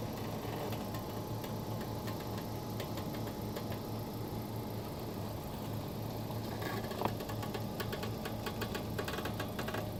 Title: 2018 Honda Accord Sport 1.5T abnormal steering popping sound